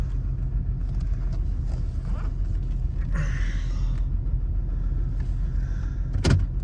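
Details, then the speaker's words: 2007 Nissan Xterra with P0300, plugs and all six coils already replaced elsewhere, possibly low on fuel: low, lumpy idle rumble that never settles, with a nasty rattle underneath; running rough, misfire at idle. "Does kind of feel like it's running pretty rough here. Yeah. It's a misfiring."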